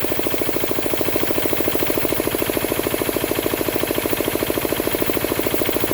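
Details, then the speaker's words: Diesel air compressor: it clicks back on at 125 psi and charges under load; an even, rapid diesel thumping with no knocks or misfires, working fine. "So at 125 psi, that'll click back on and start charging. So the compressor is working absolutely fine. You can certainly hear the load it makes."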